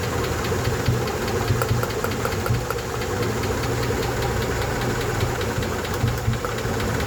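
Light, quick ticking runs steadily over a low idle hum, keeping time with engine speed; source of the tick not yet pinned down.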